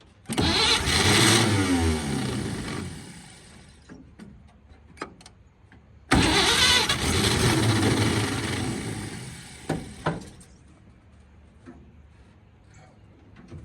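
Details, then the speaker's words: 1946 Chevy boom truck engine, sat 35 years in a field, previously water-filled and locked up, cranks on a pump-sprayer fuel feed with ether, catches with a rough burst for a couple of seconds, then dies; tries twice but won't keep running. "She just don't want to run just yet. Give it a little bit of that and she should fire off. Well, she tried."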